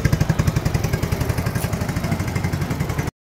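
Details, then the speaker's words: Yamaha Mio Sporty 115 after replacing a scratched rocker arm and a slack, stretched timing chain tensioner (no overhaul): the earlier clanking, loud head noise is gone. Even exhaust putter at about four pulses a second with no ticking or chain rattle; normal idle. "So guys, sumaandar na po si Mio Sporty. Ayan. Okay na po siya. Wala na po yung ingay niya sa head. Tahimik na."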